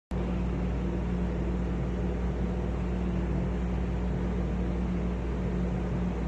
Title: (Bad bearings) Arlec style 3 exhaust fan